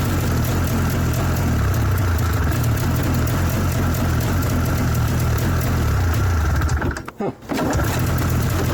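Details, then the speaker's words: 1994 Yamaha VX500 two-stroke snowmobile, first run, primed by squirting fuel in: idles low and lumpy, then cuts out abruptly; owner suspects something not strong enough or poor spark; low idle then stalling. "huh wonder why it stopped on that one well either this one isn't strong enough or the Spark's not good enough and that's why it shuts off"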